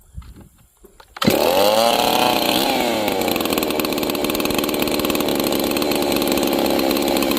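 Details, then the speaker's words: G660 chainsaw, retuned after a timing advance: after starting it settles into a throaty, gurgly, uneven run without crisp throttle response. The carburetor mixture is too rich and needs leaning by screwing in the adjustment. "So, it had good throttle response. It did not have crisp throttle response. And it also had a very throaty, gurgly sound to it. It means it's rich. It's too much fuel."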